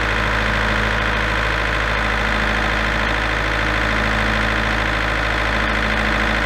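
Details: Large auction-bought diesel generator, engine previously repaired, run after tweaking the internal potentiometer to reach 240 V (earlier shut down with a control-panel error after about 10 seconds). Smooth constant drone with no hunting, surging or knocking.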